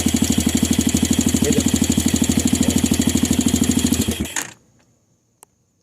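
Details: 200cc Chinese dirt bike (fake KTM) single-cylinder after the start button contacts were adjusted: even thumping idle about three beats a second, steady until switched off; healthy idle.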